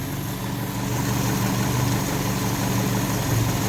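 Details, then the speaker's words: Small engine being carburetor-tested; steady low idle hum with a constant airy hiss like a sucking noise, and it won't rev when given gas; false air is being drawn in, likely a carburetor vacuum leak. "you hear that sucking noise yeah right so if i give a little bit of gas if i try to here nothing happens right more air will be sucked in different places than it's supposed to be"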